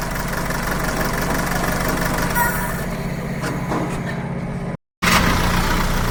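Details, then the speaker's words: Mahindra diesel with a missing, knocking complaint. Lumpy idle with a stumbling beat about four times a second; a code points to cylinder 4, and unplugging injectors one by one shows injector 4 is not working. "तो हमारा चार number injector जो है वह काम नहीं कर रहा है"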